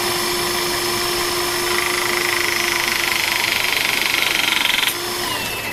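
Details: Pinchen HL-400B cordless hydraulic crimping tool after O-ring replacement for oil leak: pump whirs up with a rough, fast chattering pulse about four per second, dropping off on release; noisy pump, air heard in the system, suspected not bled.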